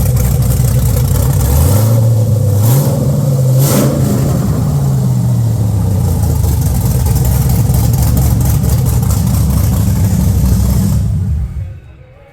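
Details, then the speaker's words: Holden VT Clubsport V8 after cleaning the injectors: blips up and back, then holds a smooth, even note with no popping or stumble; starts really nicely, normal running. "so it's um yeah it started really nice now after I've cleaned all those injectors beautiful"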